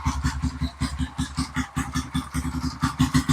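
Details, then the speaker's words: Kawasaki KLX 150 bored up to 175 cc, smoking after trail riding, warmed up: steady idle with coarse, uneven tapping from the top end on each beat; rough running, initial diagnosis suspects a leaking cylinder head gasket. "ternyata di bagian atasnya agak bunyi kasar sedikit itu sepertinya untuk diagnosa awal ada kebocoran di bagian packing silinder headnya"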